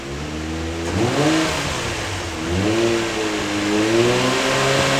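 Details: R32 Nissan Skyline swapped to HKS-built 1JZ twin turbo on first start, drive-by-wire throttle on default calibration: revs climb slowly and lazily with each stab, never snapping up; sluggish throttle response.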